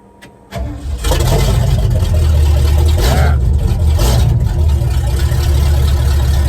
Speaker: hey it sounds good